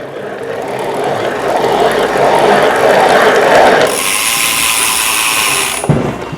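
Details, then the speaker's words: Faulty Bosch e-bike mid-drive motor that keeps cutting out, throws errors and has a flickering display: a loud, rough grinding whir. Diagnosed as bearing noise from water getting into and damaging the bearings. "that is pure and simple bearing noise at some point water's got in the bearings have got damaged and that's what the noise is"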